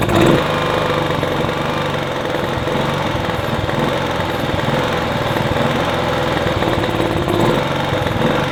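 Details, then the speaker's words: Kipor Sinemaster IG2600 digital generator, stored in a garage for years, running only on starting spray: small single rumbles fairly evenly at steady speed; owner suspects a blockage in the fuel pipe or carburetor, then removes the carb. "Well, I managed to keep that running long enough for me to realize, well, determine at the very least that it runs nicely. We've obviously got a bit of a blockage on the pipe or in the carburetor."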